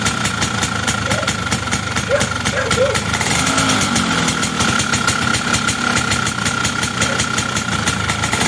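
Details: Two-stroke engine after air-leak pressure test and repair: quick, even crackle of firing pulses settling into steady idle with no stumbling or pinging; running properly, though owner guesses ignition timing may be way advanced.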